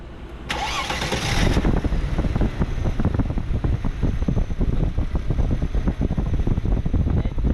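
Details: Mercedes-Benz ML320 after bad fan clutch replacement for overheating: engine cranks and catches at once, then settles into steady, even idle with no knocks, rattles or fan roar.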